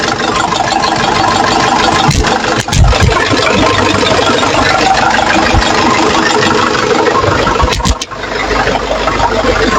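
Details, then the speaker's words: Nissan Patrol 4x4 3.0L 2D30 diesel after top overhaul for head valve leak and misfire, started cold; steady even idle clatter without skips, temperature normal, no leaks, running steady. "tama lang yung temperature pero yung andar niya steady"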